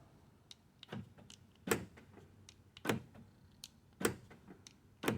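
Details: 2014 Nissan Rogue driver's door after replacing the noisy lock actuator (old one appeared to have broken gear teeth): crisp single lock clunks about a second apart, no buzzing or grinding; new actuator works cleanly.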